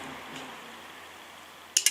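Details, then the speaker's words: Automotive/motorcycle relay bench test, battery positive on pin 85 and negative on pin 86: two short, crisp clacks about a tenth of a second apart in a quiet room; coil pulls in cleanly, normal relay click. "Entonces yo ahora cuando le dé al negativo de la batería al otro extremo, al de nuestra izquierda del todo, tiene que sonar clac."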